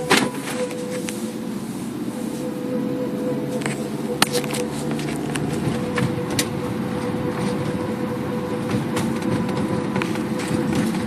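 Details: Car driving with steady mid-pitched whine and scattered clicks over road rumble; noise stops when brakes applied, returns, loud at slow or fast speeds; caliper already changed; cause unidentified.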